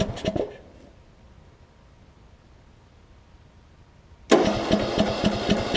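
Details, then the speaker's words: John Deere LA105 riding mower, long-stored, after fuel tank drain and carburetor cleaning: short cranking bursts catch briefly on starter fluid and die, rough chuffing, won't keep running; owner suspects lost spark, fuel reaching it. "okay so I've had it running for a quick second there now it seems like it's not getting any spark anymore possibly"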